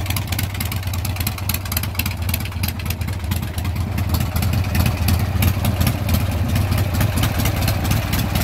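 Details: Warm, freshly carb-tuned Harley Sportster 1275 Hammer Performance kit with Andrews N2 cams, collapsible pushrod tubes, S&S Super E carburetor, Dynatek 2000i ignition: lumpy loping V-twin idle, even beats, slight rev lift, no knocks or misses; normal idle.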